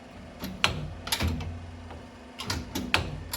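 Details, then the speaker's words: FOX 3.0 shock absorber from a new 2023 Polaris RZR Pro R turbo, cycled by hand on the bench: silent on compression, sharp metallic clicks on sharp extension from a loose internal part; suspected misassembly or manufacturing defect. "То есть если мы его сжимаем тишина если разжимать даём рывок на разжатие что-то внутри прол"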